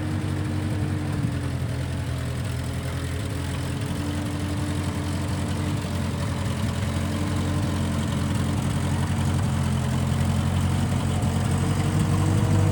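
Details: 1955 Massey Ferguson MF65 four-cylinder tractor, in the family 30-some years, idling after sitting about two years with a cleaned-out carb; smells of varnish and rusty gas. Deep, steady, even thump with no misses or knocks. Normal idle; Marvel Schebler carb may need slight tuning.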